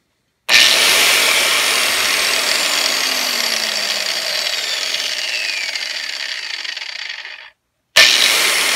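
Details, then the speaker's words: New budget Craftsman angle grinder, first run: bright high-pitched whir holding steady, then a long, slow coast-down after switch-off; owner thinks the long wind-down may mean good bearings, sounds healthy. "does have a big wind down so maybe that's good bearings i don't know we'll give it a try"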